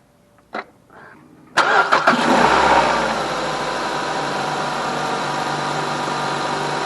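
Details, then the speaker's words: Normal start and idle on a 2012 Mazda 3 sedan after reassembling the intake runner actuators, VSV solenoid and new sensors: short crank, then a clean catch and smooth, even idle with no knocks or rattles. "so everything sounds good here going stop the video here and look at the code haven't heard anything strange but that's a good sign"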